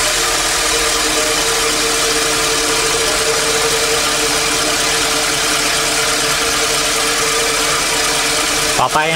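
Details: Toyota ACV30 Camry engine after replacing the spark plugs with Denso plugs and restarting: a steady, even idle with a smooth hum and no misses. The car previously stumbled under hard acceleration at high rpm; normal idle.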